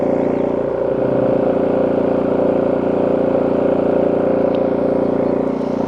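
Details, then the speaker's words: WEN 4800 W dual-fuel generator (DF480iX), under load, about 72 dB measured from 11–12 feet on concrete: steady, even drone at constant pitch, no surging or knocking; normal running under load. "So that's not bad, about 72 decibels at about 11 or 12 feet, considering we are on concrete."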